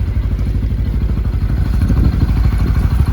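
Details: 2023 Massimo T-Boss 760 EPS UTV with 119 miles, idling: single-cylinder thumping with loose metallic clatter on each pulse; doors rattling at their latches.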